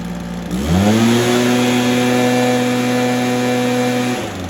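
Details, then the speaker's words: Stihl BR430 after spark plug boot fix and carb tuning with idle turned up: engine catches and climbs to a steady, even high-pitched drone without surging; normal running. "hey guys I think we got another one fixed there that's steel b r 430 good to go um fix the boot on the spark plug and then also uh just tune the carb a little bit"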